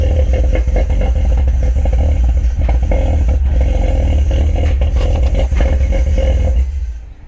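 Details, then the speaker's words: Cammed BMW E46 with a turbo, started after vacuum leak fix: loud choppy idle with heavy sucking intake roar because the intake cone filter is off; engine shuts off near the end. "sounds like it's sucking pretty hard. Yeah, well, I don't have the cone on right now."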